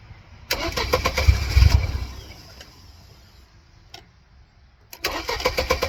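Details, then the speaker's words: 1999 Mercedes-Benz C230 Kompressor (W202), check engine light flashing, mass airflow sensor unplugged: engine catches, runs shaky and uneven for a second or so, then stalls into silence before another start attempt. "I'm just going to unplug the mass airflow sensor. Shaky. Stall out though."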